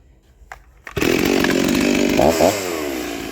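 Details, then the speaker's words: Rebuilt vintage Stihl 036 chainsaw with aftermarket Meteor piston and cylinder, new crank bearings, seals, muffler, clutch, rebuilt OEM carb, roughly sharpened test chain; quick start, snaps to full revs, dips slightly in cut, strong and fast; healthy. "[Music] wo that thing's fast faster than all them old saws that I got"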